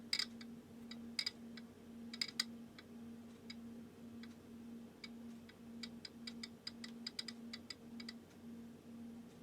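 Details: Ampex VPR-3 VTR AST head drum turned slowly by hand gives sharp, irregular mechanical clicks over a steady low hum; no friction, no resistance and no loose debris found; cause unknown, possibly normal.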